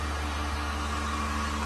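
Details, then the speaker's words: Vacuum pump on a new 1600-liter mixer during vacuum test with empty chamber; low even hum with soft steady tone, no knocks or rattles, very low noise, pump running smoothly and normally. "And the vacuum pump is working stably. Very low noise. The whole system."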